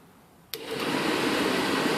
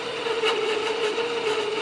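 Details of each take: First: Furnace blower with the time delay relay bypassed, wired straight to the power converter fuse: a click, then a quick spool-up to a strong, steady airy rush at 100% speed. Normal blower sound without the faulty relay. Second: 12 V furnace blower fed through the time delay relay, with the thermostat simulated by a jump pack and power from the converter's 15 A fuse: after about 5 seconds it gives only a soft, weak, steady hum with no spin-up. It is barely running because the faulty relay starves it.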